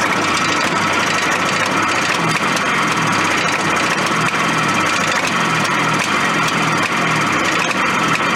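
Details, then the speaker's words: Suzuki Fury snowmobile two-stroke with long-standing ignition problems: ragged buzz that stumbles and surges; it runs while a kill-switch wire arcs against the metal and shuts off completely when the wire touches; suspected ignition wiring fault. "that thing starts throwing the arcs and all of a sudden it starts running if you touch it completely it shuts it off completely"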